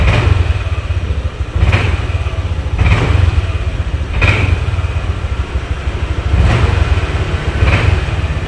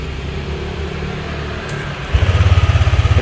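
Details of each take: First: Honda Vario 150 scooter: normal idle, but each throttle blip stumbles and hesitates with delayed, misfiring response; cause found at a faulty spark plug cap. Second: Honda Vario 150 scooter engine catches at once and settles to a steady, even idle after replacing the rusted spark plug cap that caused sparking and stumbling (brebet); earlier starting was difficult.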